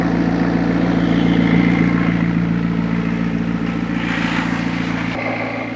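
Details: McLaren 650S V8 with new coils and spark plugs after a suspected oil overfill, at idle: a steady, even beat with no stumbles or misfire. Smoke is clearing; the oil pressure switch reads 0, suspected faulty.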